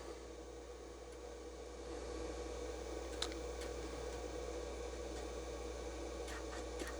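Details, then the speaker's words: IBM 5150 PC with a late-1985 Tandon floppy drive taken from a dead 5150 during restoration, booting an MS-DOS 1 disk; lights come on and a quiet steady motor hum, faint whirr and soft head clicks are heard, normal floppy spin and read. "Lights come on and I do hear it"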